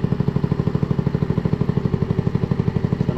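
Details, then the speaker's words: Stock GY6 150cc scooter CVK carburetor being tuned at idle; fuel mixture screw backed out too far, the steady single-cylinder putter eases and idle rpm sags, idle drop from mixture screw turned too far. "back it out some more and increase some more back it out some more there it goes down right there"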